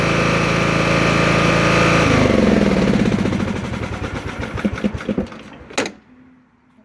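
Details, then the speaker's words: Sears Craftsman LT1000 lawn tractor starts fine, throttle position checked okay, but when put in first gear or mowing blades engaged it bogs at once, pulses slower and dies; engine stalls under load, cause unknown. "it starts up just fine but then when I want to put it into gear or Engage The the mowing blades it stalls"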